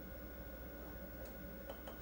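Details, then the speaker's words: Commodore Amiga 2000 running Workbench 1.3, loading a game from the hard disk: faint, sparse dry seek ticks over the quiet PSU fan hum, with no high-pitched spinning whine. The drive sounds healthy; normal hard disk seek ticking. "love that hard disk loading sound it's not that I can hear the fan from the from the PSU but the hard disk doesn't make that you know high spinning tone really nice"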